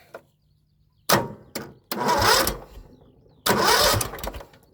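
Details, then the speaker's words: John Deere L110 lawn tractor that sat 3 years, after swapping in the fuel pump from another mower: starter cranks in short bursts, then engine catches and roars briefly twice; pump likely the problem. "Look at that, she's ready to party. So maybe that's what the problem was."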